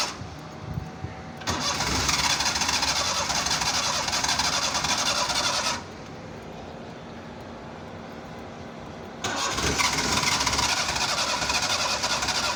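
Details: Car trying a cold hard start with pedal pumping: two long bursts of rapid starter cranking, roughly three turns a second, with no catch between them. Long cranking, the engine never fires.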